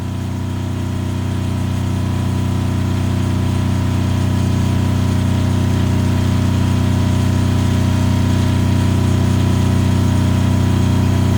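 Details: Kubota GL7000 diesel generator without load after lowering frequency from about 63.7 Hz to about 61.6 Hz: steady drone at one even pitch, no hunting or surging, governor holding speed rock-stable; normal governed speed.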